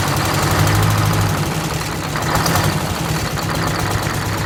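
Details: 1969 International 400 dump truck, Detroit 8V-71 two-stroke V8 diesel, after cracked bell housing chained shut and air starter used, fuel stabilizer and cetane boost added: deep gruff idle, slightly uneven beat but no misses or knocks; normal idle.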